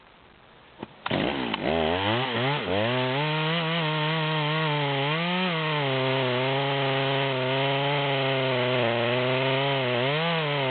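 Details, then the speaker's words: Stock rear-handle Stihl MS200 with 25-inch bar in a large log: climbs to a high scream, then sags and wavers in pitch as it sinks in, struggling to pull the chain; too much bar for this saw. "we're at zero we're about a third of the way down at this point and you can see it's struggling to pull the chain the way it's set up"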